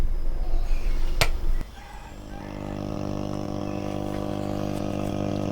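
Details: Hacker Herald RP30 transistor radio after reflowing a solder joint on the oscillator circuit: sharp click, then a steady buzzing hum with a stack of even tones; the receiver noise fault remains.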